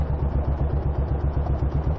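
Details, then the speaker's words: Royal Enfield Bullet single, ridden off the motorway at a junction: heavy low thudding knock about six times a second under the engine note, less bad under load; owner suspects big end or little end, leaning big end. "the Enfield did not sound well at all something seriously knocking in the engine which to me sounds like big end or little end"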